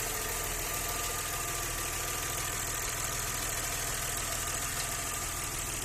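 Steady idle with a quick, fairly even knocking about three times a second running through it; the source of the knock is unclear.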